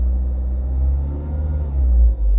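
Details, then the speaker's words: Renault Megane Grandtour flex-fuel after Radnaq Fuel Injector Cleaner additive test, warming up; rev to about 2000 rpm then deep rumble settles back to smooth, even idle without stumbling; normal rev and return to idle. "você vê que a ele já tá reduzindo ali pra pra rotação ideal né"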